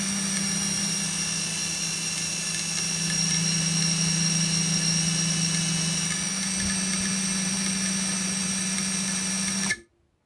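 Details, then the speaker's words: FPV cinewhoop drone on the bench: steady high motor hum with a constant droning resonance and a rattling sound; owner suspects the propellers, source not found. "可是我觉得很奇怪，它会发出一个很像共振的异音哦，感觉上不知道是不是从讲页来的，"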